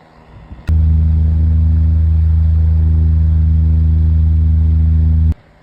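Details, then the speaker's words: 9-inch Airtek metal high-velocity fan on low speed: smooth, steady low hum with good airflow, no rattle, tick or scrape; healthy fan motor, normal. "The airflow is good right now. All right. It has a really nice sound to it on low."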